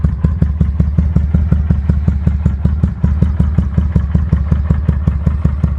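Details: 2005 Kawasaki Vulcan 800 quick startup before sale: loose, lumpy thump about five beats a second, even and steady with no clatter; normal idle.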